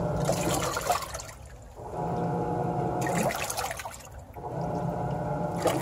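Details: Samsung WA40J3000AW/A2 washer after an agitation grinding fix, in agitate mode with a load of water: even motor strokes about every two seconds with water sloshing and no chatter or grinding; normal agitation.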